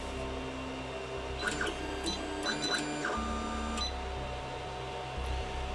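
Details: AnyCubic i3 Mega 3D printer hanging mid-print: short electronic chirps repeat irregularly over steady fan and motor hum; beeping present since new, cause unknown.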